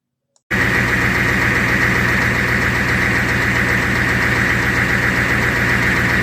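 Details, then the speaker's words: 1990 Ford F350 7.3 IDI diesel that cranked but would not start, now running without dying: steady, even diesel clatter at idle with a smooth firing rhythm, normal idle. "Now that video, I shortened it so you didn't hear me all excited. So it sounded great."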